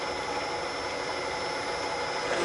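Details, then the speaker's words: Milling machine in back gear at 210 rpm, 0.006 in per revolution power down feed, boring aluminum Type 4 engine case for big bore cylinders with lubricant: steady even cutter hiss, bull gear churn beneath, no chatter; smooth healthy cut. "you'll hear a hissing from right here that's the sound of the cutter that's making a really nice smooth cut right now"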